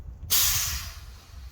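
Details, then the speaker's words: 1961 Dodge C800 ramp truck with 361 Chrysler big-block petrol engine running: sudden steady hiss of compressed air fading over a second, escaping at the air horn because no hose is connected to it. "Hey, it's leaking air out of the horn. You know why the horn doesn't work? Why? Because there's no hose connecting it."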